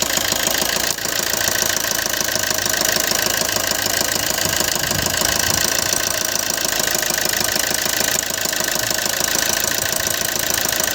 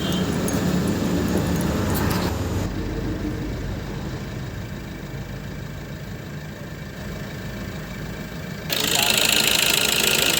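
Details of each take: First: Maruti Suzuki Ertiga Smart Hybrid petrol engine idling with a fast rough ticking knock over a busy clatter, with morning smoke and unsteady RPM; dirty fuel injectors. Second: Maruti Suzuki Ertiga Smart Hybrid petrol engine idles evenly with a steady pulse and no hunting or surging after injector servicing. Before the service it had morning white smoke, unsteady RPM and knocking; the RPM no longer fluctuates and the white smoke has stopped.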